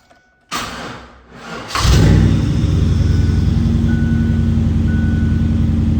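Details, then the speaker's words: LT1 V8-swapped Mazda B4000 after fixing a misfire caused by a stuck injector: engine cranks, catches and settles into a deep, steady, even idle with no more popping; normal eight-cylinder sound. "I think it sounds a lot better yeah I don't hear that pop anymore that's what eight cylinders should sound like awesome"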